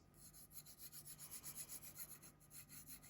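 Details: USA-made folding knife said to pivot on bearings, blade swung open: quiet gritty rasp pulsing about four times a second, a rough scraping pivot; cause uncertain.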